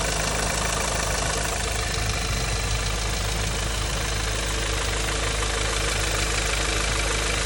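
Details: VW 2.0 TSI engine: steady idle with a loose, uneven ticking about two or three a second over the engine hum; abnormal noise, cause unclear.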